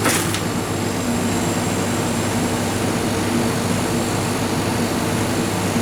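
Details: Refrigerated chiller trailer, about 10 years old, not cooling due to a burnt-out compressor relay: compressor starts after the time delay and hums steadily with no buzzing, clicking or stalling, discharge pipe hot, suction getting cold; running normally.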